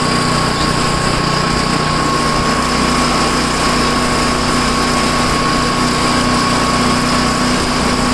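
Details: Tecumseh-engined snow blower started after sitting 10 months, choke on and throttle up, fitted with a new adjustable-mixture carburetor left unadjusted. The single-cylinder runs at steady high speed with an even, buzzy beat, no surging or misfire. Runs fine.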